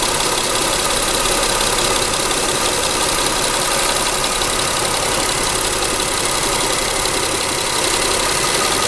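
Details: Mitsubishi Endeavor, 6G75 3.8L SOHC MFI gasoline V6, cold start: busy fast clacking at about three per second over the idle from a failing hydraulic timing belt tensioner; it usually fades after 5–10 seconds as the engine warms and is worse on very cold days.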